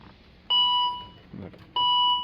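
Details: 2012 Volvo XC60 with no crank, no start: two clear, high, sustained warning chimes about a second apart as the shifter is moved with the brake pressed, but the gear will not shift. Traced to a faulty power steering control module.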